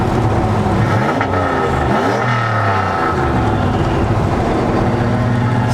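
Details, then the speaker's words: 2004 Ford Mustang Mach 1 turbo, tune unfinished and not in boost, accelerating through gears with the exhaust cutout open: loud, deep, raspy, unmuffled roar rising and falling with throttle; sounds great, nothing wrong. "i don't know if i'll ever want to close it at this rate it sounds so good open why would i ever close it"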